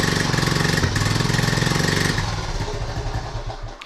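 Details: 1976 Honda Z50J1 Monkey after points work, just restarted with recently fitted new carb possibly untuned: small single idles with uneven, stumbling beats about three to four a second, then falters; misfiring from incorrect points gap.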